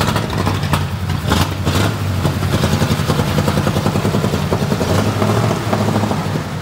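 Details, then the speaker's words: 1937 Ford flathead that sat a year, very loud, restarted to drive to the upper garage: uneven, lumpy beat with clattery stumbles over a low exhaust drone, running rough and not firing cleanly. "and this thing's not running good at all but is it good enough to get us where we're going maybe"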